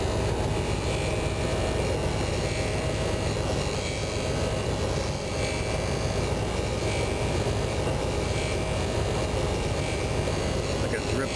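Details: RV engine at idle after the original fuel pump and filter were replaced (rebuilt carb): a steady, even rumble with a constant hiss, no surging or misses. A small drip is still seen at the pump, possibly from a clamp.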